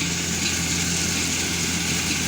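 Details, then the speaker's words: Rice combine harvester threshing while harvesting: steady loud roar with harsh gritty hiss; operator suspects threshing drum bearing, which would need removal, cause unconfirmed. "เอ้เสียงเหมือนลูกปืนโม่วแต่ลูปืนโม่นี่งานหยาบเลยนะต้องถอดครับไม่ใช่ง่ายนะ"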